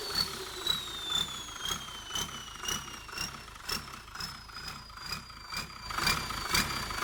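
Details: Komatsu tractor turbocharger, T04 with AR60 housing, on test: clear turbo whistle sliding gradually lower between revs, throttle puffs about twice a second; healthy singing turbo, normal whistle.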